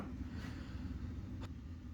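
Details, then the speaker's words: Samsung air conditioner after option-code EEPROM setting via wireless receiver and remote, set to cooling: soft steady low hum with even airflow from the indoor fan, no ticking or scraping; outdoor unit and indoor fan running normally. "it's live it's alive outdoor unit is running indoor fan is running so we're back in business"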